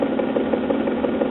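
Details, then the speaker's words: Late-1940s Vanity Fair 78 rpm record player running: steady motor hum with a soft regular thump about six times a second from a dent (flat spot) in the rubber idler wheel. "but as you can hear that item wheel has a little dent in it"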